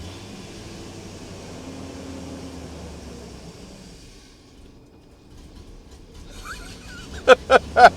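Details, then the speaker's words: 1997 BMW 740i with oil in the spark plug wells and on the plugs (valve cover gaskets replaced): a weak, faltering idle sags and dies with no throttle and still dies on the gas. Rough idle and stalling. "now put my foot on the gas and it still dies what is the deal"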